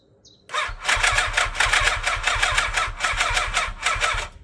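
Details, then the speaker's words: 1987 Yamaha FZR1000 left unused 16 years, freshly serviced with refurbished carbs, on its first start attempt with the choke not yet attached: the starter churns in sluggish, labored strokes, about five a second, never catching; slow cranking from low battery power, jump box added. "Ignition's on. I'm scared. We don't have enough power."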